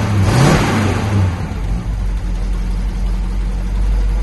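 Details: 1970 Dodge D500 dump truck, parked 5 years, with a single-barrel carb, new fuel line and new filters at the tank and carb. The V8 catches with a quick rev and settles into a steady, even idle with no knocks or misses; normal start.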